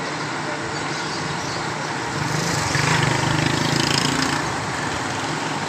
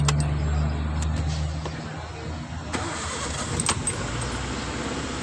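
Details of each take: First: Suzuki Cultus cranking without starting: turns over steadily at about three and a half beats a second but never fires; ECU board fault, car started after ECU repair. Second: Suzuki Cultus that cranked but wouldn't start, after ECU board repair: brief crank, then catches and settles into a steady, even low rumble with no misses; normal start.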